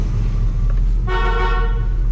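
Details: 1979 Pontiac Trans Am 10th Anniversary, revived after sitting since 1995 and idling with slight blue smoke and charging at 14 volts: a steady idle, then a firm, clear horn blast of about half a second; the horn works.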